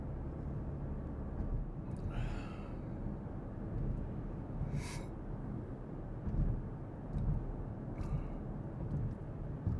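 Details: 2014 Porsche Cayenne after front differential swap, replacing one with a failed pinion bearing; cabin recording through the gears, steady low road rumble with no grinding or whine.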